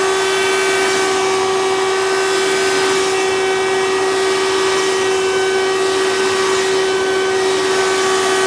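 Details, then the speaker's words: 1992 Hoover Elite II Total System Performance 650 U4689-910 upright vacuum: piercing, steady high-pitched motor whine over the roar as the motor speeds up; owner suspects dry motor bearings needing oil from little tool use, unconfirmed. "this thing does run a bit loud maybe i will have to do some things to the motor like oil up the bearings because this likely wasn't used with tools very much so when the motor speeds up it definitely is showing just how dry these bearings are getting"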